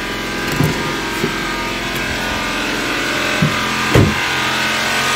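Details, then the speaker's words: Cold-start idle, oil level normal and oil warning light off once running: dry metallic clatter from the top of the engine with occasional irregular clunks; timing chain suspected slack, not confirmed. "jadi di sebelah Sisi sebelah sini itu adalah timing chain oke nah kalau dilihat Ini temennya dia kemungkinan besar itu mengendur Pak"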